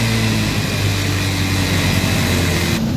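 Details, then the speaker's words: Honda Beat FI scooter that had run dry of oil, started on a doubled battery after a refill: a low, uneven, rough idle drone with smoke from the exhaust, described as thick white smoke. Piston ring or valve seal damage is suspected. "Untuk starter saya double aki tadi pertama karena berat, dan hasilnya seperti ini, berasap. Itu kenapa? Karena awalnya ini kehabisan oli."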